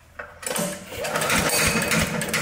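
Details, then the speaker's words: Briggs & Stratton mower engine under 2 years old, no-start: rapid metallic click-click-click when pulled over as the stuck camshaft compression release keeps bumping the valve. "The compression release on the cam. Usually these compression releases are breaking. This one's stuck to where it's bumping the valve all the time. and it won't let it start."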